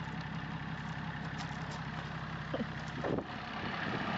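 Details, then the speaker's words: BMW X5 diesel starting and settling into a steady idle with its usual clatter, no misses or stumbles; starts well and runs normally. "et il tourne il tourne il démarre il démarre bien en plus"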